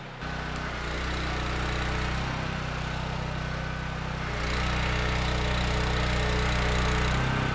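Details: Mi-T-M 4000 PSI pressure washer engine after valve adjustment, running under pump load with water flowing: a steady, even drone that dips briefly and recovers cleanly. Runs normally; the pump's thermal relief valve is leaking.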